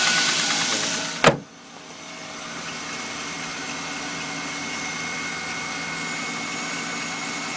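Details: Engine warming after start, heard with the hood closed: thin steady high whistle over a quiet even idle that stops once warm-up idle speed drops; whistle during warm-up, cause not identified.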